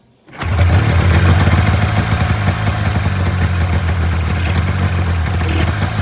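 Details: Polaris Indy 500 two-up snowmobile, first start with choke after used top-end rebuild following head gasket failure, overheating and no compression on one cylinder: catches instantly, busy crackly two-stroke idle stays steady; engine running properly.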